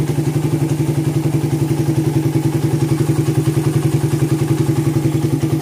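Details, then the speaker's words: Suzuki Satria FU FL 2014 after a bore-up, hot after repair, heavy carbon blown out the exhaust. Even, quick thumping with no stumbling, popping or misfire: main jet is set right, and it runs clean. "mind jet-nya juga sudah pas dia enggak mbet terus juga enggak begitu jedah untuk main jetnya."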